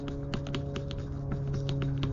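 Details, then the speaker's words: 2015 Nissan Murano, passenger-side rear: quick, uneven light knocks and clicks over a steady hum as the rear upper shock mount is rocked by hand, which moves all around; worn shock mount, to be replaced along with the shock. "If you wiggle this here, you could just feel it completely moving all around. Not good."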